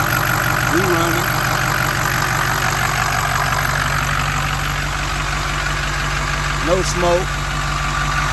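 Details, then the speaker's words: 2006 Ford F350 6.0 Powerstroke diesel after sitting five to six years, after repairs: steady, even diesel clatter at idle with no misses or knocks, voices over it; normal idle. "there and there it is 6-0 F-350 running"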